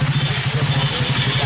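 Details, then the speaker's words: Hero Super Splendor single after clutch housing replaced, riding in gear with clutch released: even, steady fast putter, no rattle; earlier gear-engaged rattling noise fixed, sounds smooth like original. "देखिए दोस्तो sound पूरा smooth है हमारा यहां पर problem set out हो चुका है"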